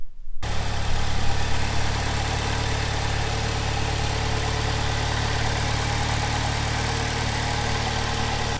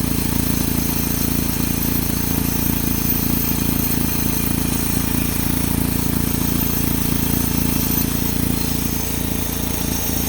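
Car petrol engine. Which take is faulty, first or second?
second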